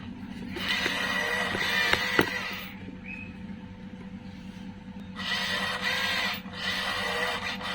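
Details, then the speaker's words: TOYOSAKI voltage stabilizer (220 V and 110 V outputs) at no load buzzes and rattles in repeated bursts over a steady low mains hum; it is reported to have output voltage surging high and is not working properly. "Nah mungkin yang dimaksud teman saya itu seperti itu ada suara aneh jadi si stabilizer ini nampaknya tidak berfungsi sebagaimana mestinya ya"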